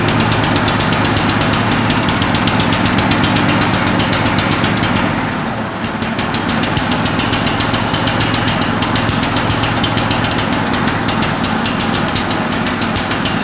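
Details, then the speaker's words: 1963 Bolens Husky 600 lawn tractor engine, first start after long storage: loud fast busy rattle held at high speed where idle should be; over-revving, likely still on choke (suspected). "it starts the engine sounds pretty good though it doesn't seem to be coming off choke very well it seems like a super revving a little bit"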